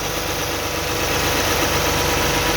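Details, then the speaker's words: 2009 Toyota Highlander/Kluger 3.5 V6 before repair, with a noisy belt tensioner: after a spray the idle is smooth with no belt chirp, but the spray only masks it, so the belt and tensioner are due to be replaced. "you can hear the noise the tensioner uh i'm going to spray something and now it's gone"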